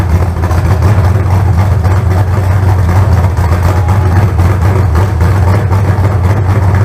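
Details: Fresh carbureted 388 small-block Chevy (heads and intake from the owner's troubled 406, crew-cab Chevelle) idling out of the car during first run: deep, steady, even rumble, no knocks, misses or ticking; about 80 psi oil pressure, no leaks. Normal idle.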